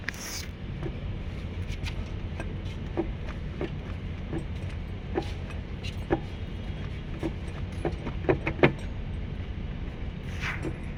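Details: Porsche Cayman while driving: scattered light clicks and small knocks over a steady low road rumble, consistent with a loose or worn suspension part. Suspension noise.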